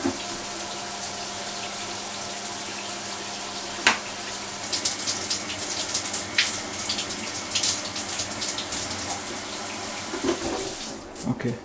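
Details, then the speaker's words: Mira Go electric shower, about 5 years old, after replacing the failed solenoid coil: restarted on low to purge air, then heat on; steady, even rush of water with no spluttering or air bursts, normal water flow. "Good start. Let's put on some heat. You can hear there's no air in that anymore."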